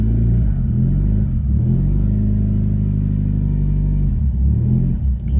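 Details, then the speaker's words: Nissan with CVT, stage-two turbo, downpipe-back exhaust, intercooler, being converted from MAF to speed density, in limp mode on an untuned setup: low, lumpy rumble that surges and sags while struggling to idle. "oh yeah that's not running great that's that's what I was expecting it to do"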